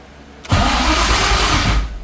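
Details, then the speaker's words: Coyote GT-engine-swapped Ford GT500 on its first start attempt: the starter whirs barely a second, then cuts out without firing. It should keep cranking until it starts. An unconnected crankshaft position sensor was then found and is suspected as the cause. "it's weird the starter stops it should kind of keep going until it starts"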